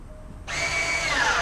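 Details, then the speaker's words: Range Rover Sport electric parking brake after repair of the left rear fault: clean, firm one-second motor whir as the brake applies, steady rising pitch, no grinding, now louder than before; actuator visibly moving and working properly. "Oh, definitely. You can hear it now, alright. So, it certainly wasn't moving like that last time."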